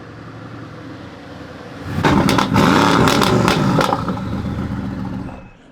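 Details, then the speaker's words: Mercedes-AMG GT S returning after four months of repairs following a catastrophic failure that locked the rear wheels: deep rumble swells as it pulls in and eases off, smooth and even, no clunks or grinding; engine and drivetrain normal. "man, that thing sounds good. I am so pumped to have this car back."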